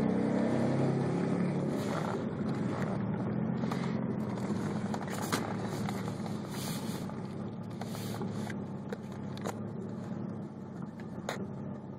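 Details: Engine idling after about a 20-minute shutdown: uneven, loping beat around four pulses a second that stumbles irregularly; rough idle.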